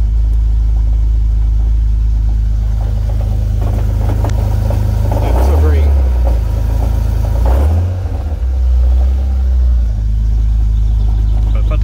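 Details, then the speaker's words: Car idling: low uneven rumble like a box of marbles when the clutch is let out, mostly gone with pedal down, though still present clutch depressed; owner suspects throwout bearing or harmonic balancer, unconfirmed. "she's still rumbling a bit oh there we go sounds like we got a box of marbles floating around"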